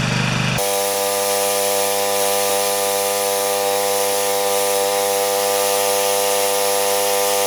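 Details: Husqvarna snowblower, 14.5 HP Briggs & Stratton OHV engine that reportedly only runs on choke, electric-started: catches immediately and settles into a steady, even drone at part throttle with no misses.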